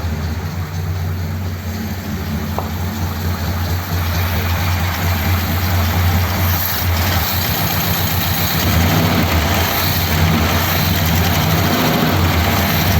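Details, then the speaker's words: 1957 Ford Thunderbird V8 with original-type carburettor float bowl reinstated: idle settles, then stumbles with uneven, lumpy beats and wandering speed. Not out of fuel; owner unsure of the cause and considers turning the mixture screws in. Rough idle. "that seem quite right does it"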